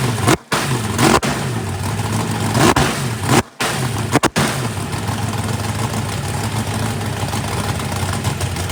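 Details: First fire-up of a freshly built 409ci small-block Chevy race engine, warming up: steady, even V8 lope with a few clean blips, no knocks or ticks. Good oil pressure (oil pressure spring shimmed). Normal idle.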